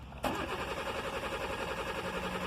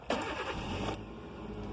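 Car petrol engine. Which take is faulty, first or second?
first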